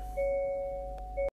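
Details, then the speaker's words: Rear parking sensors on a 2023 (23-plate) Hyundai Santa Fe after sensor replacement, reversing slowly toward a parked car: steady mid-pitched chime breaking and resuming as it closes in; centre and both sides all triggering normally. "Center is working and the two sides are working. All working as they should, all flagging"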